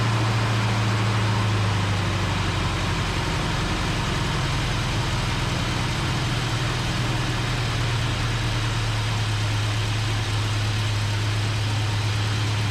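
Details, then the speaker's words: 1971 Plymouth Satellite barn find, reportedly 440 V8, running on suspected bad gas. Holds a fast, slightly uneven idle with a low throb, only keeping running with the idle turned well up. Suspected blocked carburetor passages and tune-up needed; unconfirmed. "he was correct in the fact that it definitely needs a tune up should not have to have the idle turned up that high I'm guessing and there's some blocked passageways in there"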